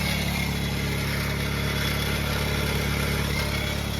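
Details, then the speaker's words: Nissan Sentra B14, cold start around 1000 rpm: steady idle with a busy, even chatter of about three or four ticks a second from the front of the engine. Bearing suspected; abnormal noise, source unconfirmed. "May, ba't ang ingay? Dito sa harap eh. Bearing? Hardware bearing?"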